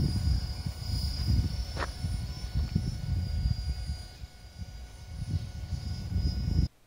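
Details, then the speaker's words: Helicopter: a thin, steady high whine from the motor and transmission over a low rushing background, with hardly any blade thump. Normal motor and transmission whine. "here's the helicopter here the situation reverses somehow the rotor is basically silent but the transmission and the motor is"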